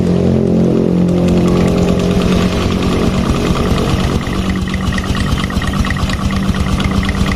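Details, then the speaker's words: Injected Revo Fit scooter idling with an uneven low tok-tok knock about three a second from the right-side clutch area; clutch knock at idle traced to the secondary clutch lining area, never previously disassembled. "berarti masalahnya di mana lagi kalau bukan di bagian area kampas ganda karena yang berputar ya yang bergerak saat ada suara tersebut"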